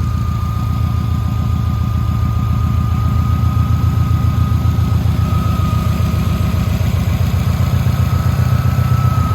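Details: 2007 Subaru Impreza WRX (titled STI) turbo boxer with aftermarket exhaust at idle: smooth, steady low rumble with an even beat, no rod knock, ticks or misfire; quiet, well-balanced normal idle.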